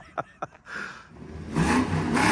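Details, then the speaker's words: Ford Crown Victoria on a test drive after a manual transmission, clutch and steady bearing install: two sharp metallic knocks and then revving as the exhaust strikes a bracket underneath, which needs welding; the left rear emergency brake is also ratcheting. "That's that bracket hitting the exhaust, I think is what it is. Yeah. We got to get that welded up,"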